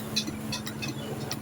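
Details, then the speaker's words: Motorcycle with electric start only, no kick start, which rode normally but won't start after parking: pressing the starter button gives a few light clicks and no cranking; test lamp shows power reaching the starter motor, worn brushes suspected. "สวิตชได้ยินเสียงดังป๊อกแป๊ก๊ๆนะครับเดี๋ยวเรามาทำการตรวจเช็คมอเตอร์นะครับครับว่าไฟมาเลี้ยงที่มอเตอร์ไดสตาร์ทหรือเปล่า"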